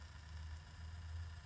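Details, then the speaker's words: Nine-year-old ParkSafe 24V 3000W inverter, case off so louder than normal, under 150W lamp and 400W heater load as new Noctua fans switch on: steady low hum with deep buzz, fans possibly masking it; buzzing under load, owner unsure if normal. "It's a different sound again. Ready? I think it's just masking the sound really. I think it's still buzzing probably."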